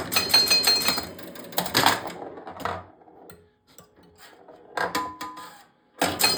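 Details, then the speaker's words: Grand Prix pinball, after bending a stuck 10-point leaf switch so the chimes work again: bursts of struck chime tones between play clatter, one chime ringing dull and buzzy as its retaining wire vibrates; loose chime needing repair. "You can hear that one chime is really loose because you can hear that wire that holds it together vibrate around in there."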